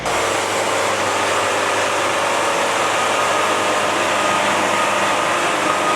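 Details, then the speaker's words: Band sawmill cutting a log for mantles at fast feed: steady even roar of band blade with no labouring or pitch drop; normal cutting. "there's the sound of the blaze he's running good this"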